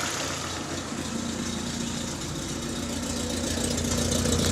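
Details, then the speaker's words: Citroën Saxo with a misfire caused by fouled, oily, fuel-covered spark plugs, after cleaning and refitting them: engine idles evenly with a steady low hum, no stumbles or misses. "Yeah, we're back to life."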